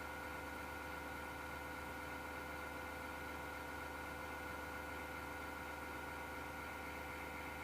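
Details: MSGW Plutos desktop PC, part 2 of a grinding-noise recording: steady, rough mechanical whirr with a few fixed high tones.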